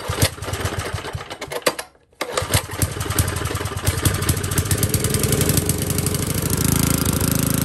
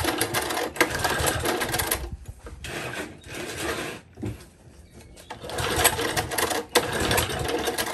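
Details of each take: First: Old Tecumseh four-stroke edger engine, after a carburetor screw was loosened further, cuts briefly then catches and settles into a fuller, steady single-cylinder beat; normal running after carburetor adjustment. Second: Old Tecumseh four-stroke engine on an edger, spark confirmed, sputters unevenly, surging and dropping out every couple of seconds; rough running, likely lean or a dirty carburetor, owner suggests opening the main jet for more fuel.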